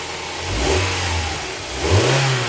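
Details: Honda Prelude 2.2L being checked for oil leaks; smooth, even firing through two clean throttle blips, no misses or knocks, firing order sounds nice, engine running normally.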